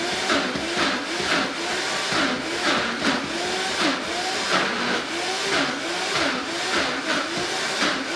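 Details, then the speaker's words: Vitamix blender blending a thick mix such as hummus: a loud motor whir that bogs and recovers, a growl that sounds broken but is expected. Normal blender growl under heavy load. "also i will say when you're making thicker consistencies like ice cream or peanut butter or hummus or anything like really thick the machine will make a growling sound sounds like it's broken but that's exactly what you want it to do"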